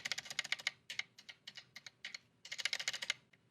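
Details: Mechanical keyboard build (gk64s PCB) stabilizers: crisp, even keystrokes with soft clean returns; quiet, well-damped stabilizers. Lubed and band-aided side sounds slightly better still.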